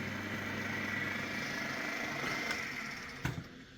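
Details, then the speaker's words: 1997 Myford VM-F milling machine, belt speed setting unknown: even, steady hum with a constant high-pitched whir and no knocks, the spindle running very smoothly, though the owner says things need tightening up. "But you can just, you might not be able to hear, but believe me, I need to tighten all this up. But it's just so so smooth. So smooth."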